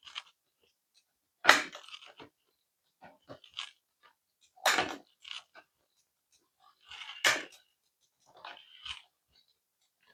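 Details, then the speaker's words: Bicycle derailleur: scattered clicks and chain clatter shifting across the cogs, one shift landing rough; barrel adjuster cable tension needs adjusting one click either way. "So, that one was kind of rough. So, we're going to go back down one."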